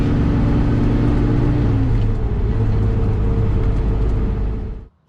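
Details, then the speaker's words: 1971 Chevelle SS454 big-block Chevy with 3-inch exhaust, new Derale 19" fan on a thermal clutch, revving around 4000 rpm: heavy whooshing fan roar over the exhaust, though the clutch should freewheel the fan near 1300 rpm and be inaudible; cause unconfirmed. "which means if i'm revving up around 4000 rpm the fan should actually only be turning around 1300 and what 30 rpm or something which should be virtually inaudible i shouldn't be able to hear it especially not over a big block chevy with three inch exhaust"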